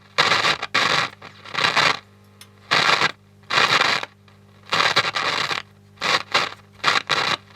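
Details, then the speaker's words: 1960s AWA PA 30BZ valve public-address amplifier, first power-up as the valves warm up; uneven bursts of harsh scratching crackle come and go over a steady low mains hum, noise that appears to come from the pickup. Scratchy, cause unknown. "Oh, something's happening. Oh, we got noise. That's just coming from that pickup."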